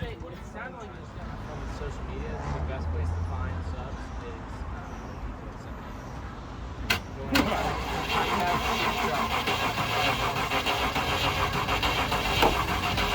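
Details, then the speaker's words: Land Rover Discovery 1 after fuel tank depressurized and fuel pump removed: starter churns engine over at a slow even beat but it never fires; ongoing no-spark problem, crank position sensor being checked. "it's been a while and I'm still having no spark issues we've checked a lot of things I don't have Sparks"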